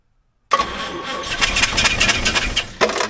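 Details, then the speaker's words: Stored six years, a 1951 Chevy sedan 216 straight six primed with fuel down the carb cranks with a few sharp puffs, catches briefly, then stumbles and dies; incorrectly wired battery and coil plus a leaky carb later corrected. "can hear it she wanted to go so that was awesome so that that felt good"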